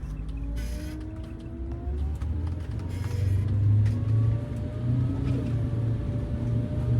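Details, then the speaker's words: Prevost bus RV conversion, Detroit Diesel 8V92TA turbo, road test after jake brake and exhaust leak repairs: deep diesel roar climbing evenly under boost around 1000 rpm, no puffing or chuffing; pulls noticeably better with turbo exhaust leaks fixed. "Boost. Oh, it feels way better. And it wasn't that bad, but I noticed the difference."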